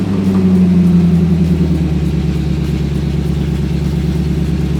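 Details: Sixties Ford Galaxie with a small-block V8 (289, possibly a 302), carbureted, after revival: steady, even low throb that never settles, as if throttle held open; high idle, suspected timing too advanced, carburetor to be checked.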